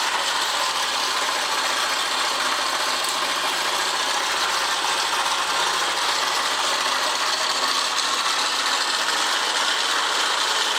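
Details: Honda Press Cub 50 PGM-FI (AA01-1708***): busy, irregular metallic rattling and clatter over a thin, high engine note; abnormal internal engine noise.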